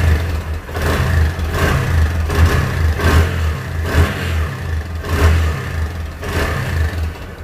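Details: Hero motorcycle single-cylinder that had stopped running, engine opened at 15,000 km, after repair: settles into a steady idle and picks up cleanly on quick blips, falling back evenly; normal idle and revving.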